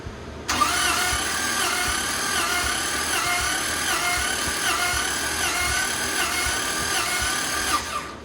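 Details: Toyota Land Cruiser that lacks power and eats oil, compression test while cranking: even starter whir with no firing, one cylinder reads low and the owner suspects a leaking valve, to be checked with a leak-down tester.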